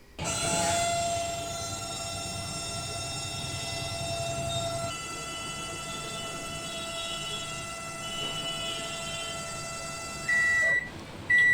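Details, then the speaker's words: Microwave oven in operation: loud steady whining hum with a high ringing tone throughout, then cut off with two beeps; sound problem from the cooling fan motor, a common fault after one to two years, repairable without replacing parts. "जैसे कि आपने सुना इस micro में जो है sound का issue है और साउंड कहां से आ रहा है इस वीडियो में पूरा बताएंगे"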